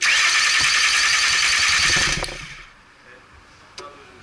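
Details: 2002 Mercury Sable, no-start: engine cranks, catches briefly for about two seconds, then dies; a melted DPFE sensor had been reported.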